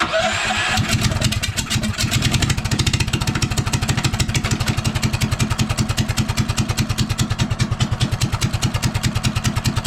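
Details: Stage 1 Honda GX390 single-cylinder, freshly reassembled and roughly mounted on a Trailbuster go kart, choked a little for first start, carb tuning still to do: catches after a brief crank, settles into strong, even thump about three beats a second; runs healthy.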